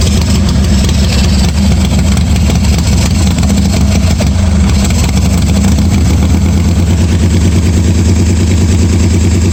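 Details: 1986 Harley-Davidson Softail V-twin at its first start after a starter and wiring repair, no air cleaner and no choke, oil pressure unchecked; deep, lumpy, evenly loping idle with no knocks or rattles; charging despite bad wires; normal idle.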